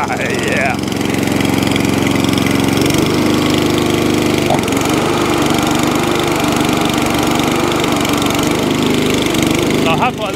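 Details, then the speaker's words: Atco Balmoral 20-inch mower with Tecumseh engine, bought as spares/repair (starts but dies), carburetor cleaned, started first pull on choke; pitch dips and recovers at idle, slight hunting, owner suspects a leaner mixture and plans carburetor tuning. "tiny bit of hunting there a little tiny bit of hunting but i can rectify that just by tuning that carburetor it may want to be running it's a little bit leaner than what it was"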